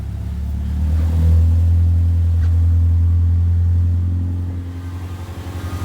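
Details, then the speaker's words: 2002 Subaru Impreza non-turbo with the exhaust fallen off (no muffler) and an ABS light on, put in drive: loud open-exhaust drone, smooth, with none of the earlier crazy noise from the suspected broken CV axle; drivetrain sounds normal. "all right well i don't hear the crazy noise i heard before so i'm going to let out on the brake"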